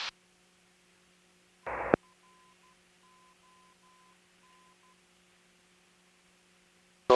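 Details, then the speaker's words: Light aircraft in slow flight, cabin audio: thin steady stall horn chirping in short pulses over quiet cabin hum as the wing nears the stall. "Hear the horn. Just keep pulling back. Just start here."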